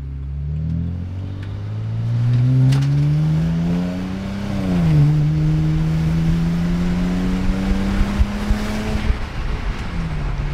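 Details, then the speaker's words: BMW E90 335i N54 twin-turbo after fixes, about 50% throttle pull on open road: note climbs smoothly, dips at a gear change with a slight stutter, pulls evenly again; normal turbo boost. "whoa and not bad not bad a little bit stuttery there"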